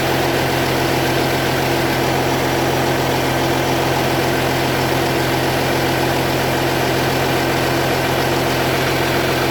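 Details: 2010 Audi Q7 TDI at idle with the check engine light on: a rapid, even puffing tick rides over the diesel clatter. Exhaust leak, later resolved by Audi.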